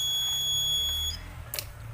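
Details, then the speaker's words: Washing machine control module: one press of power gives a single long beep of about one second and the buttons don't respond; the fault began with an open 330k 2W regulator resistor and spread to the SMD AC-detect and inlet solenoid transistors. "metode terdengar bunyi beep sama saja suaranya bunyi beep panjang"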